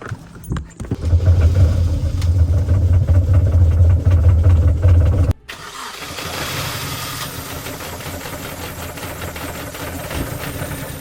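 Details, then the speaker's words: £250 Mini Cooper first start after owner's own work: cranks, catches, then runs lumpy and jerky with uneven low thump; rough running, cause not pinned down, stabilised the longer it ran. "Oh mate, that engine sounds absolutely atrocious. Literally, it just jutted the whole time."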